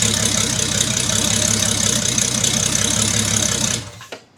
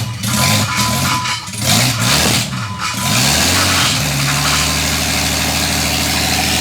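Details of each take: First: Build engine already run to operating temperature about 90°, before head re-torque and removing rocker cover and coils: smooth, even idle with steady beat, no knocks or misfires, then shut off. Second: Engine in the owner's dream build, first start-up on new fuel and oil lines: fast, steady idle sitting noticeably high after the starting burst; throttle body open too far and running very rich, fuel to be taken out.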